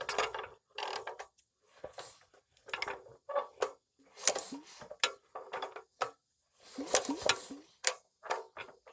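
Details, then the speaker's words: Nearly 100-year-old Standard Monarch tractor, formerly seized, now turning fully over by hand crank: sharp metallic clicks in short bursts as each compression passes are the magneto impulse coupling snapping, normal. "I am very happy now it turns all the way over and you guys hear that clicking that's the impulse in our mag"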